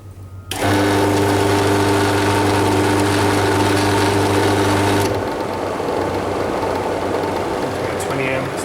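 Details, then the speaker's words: 1/2 HP Prestcold compressor on a 90-gallon Fullwood milk tank fails to start: loud steady hum for about four seconds with no run-up, then cuts off. Owner suspected start relay contacts or old capacitor wires; cleaning and rewiring fixed it. "now it seems to have seized up"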